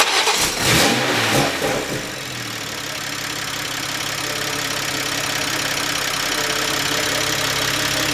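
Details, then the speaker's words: Toyota A90 Supra after a new turbo replaced one with a loose, grinding turbine wheel, started in comfort mode: cranks and catches quickly, brief flare, then smooth even idle with steady hum and no turbo grinding; normal start and idle. "Nice. Okay. So, after 2 days, finally got good old Betsy running again."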